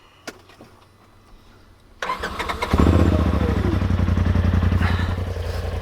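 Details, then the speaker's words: 2021 Polaris RZR XP 1000 Turbo after two years of ownership: quiet at first, then a quick crank catches and settles into an even, steady idle pulsing about 220 times a minute; healthy start. "this is what it sounds like. She sounds pretty cool. I'm not gonna lie."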